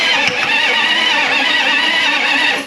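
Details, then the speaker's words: Diesel bus project, batteries just hooked up, glow plugs cycled about three times; starter cranks freely with a high wavering whirr under three seconds but engine doesn't catch. Leaking a lot of diesel yet sounds healthy; glow plug relay clicking. "It's leaking a lot of diesel, but it sounds pretty healthy. I hear the glow plug relay clicking."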